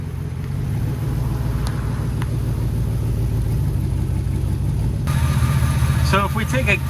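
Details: HD truck "Holly" V8 idling after a coolant leak repair and coolant top-off, fan cleared from the shroud: deep, steady rumble at an even idle, no knocking, ticking or squeal; runs smooth and healthy with no leaks.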